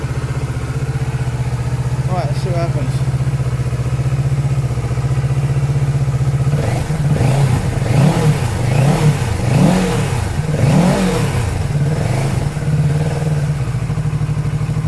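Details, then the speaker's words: 2019 Kawasaki Z650/ER6 auction twin, running after crud in the fuel pump sock was cleared, warming up then revved: steady idle rising into crisp blips, dropping back cleanly, no misfire or clatter. Normal revving. "so it's all that crud in the sock on the fuel pump that was stopping the the pump crime but that's really good news it sounds really"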